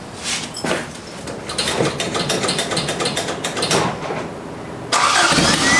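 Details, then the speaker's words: 1979 Toyota Corolla firing up after a wire repair. Its exhaust manifold gasket is destroyed, so it runs loud and raspy with sharp puffing ticks on each firing pulse from the manifold leak. The car also needs a carb. "so there's a bit of an exhaust leak but we're gonna be replacing that anyway so no big deal but I'll let it run for you guys you can hear it"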